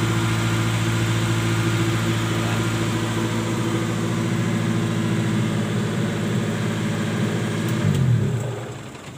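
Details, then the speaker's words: Colt T120SS before repair, with a steady hum at raised idle that never drops back down; the worn throttle body valve lets extra air through, throttle body being replaced: high idle from worn throttle body valve. "seperti ini ya jadi rpm nya selalu naik tinggi"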